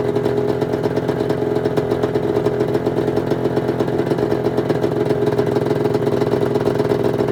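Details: 1996 Arctic Cat ZRT 600 two-stroke snowmobile after fuel pump rebuild and priming: steady, even burble at constant mid pitch with no misses or surging; holding good after air bubbles in lines, normal idle.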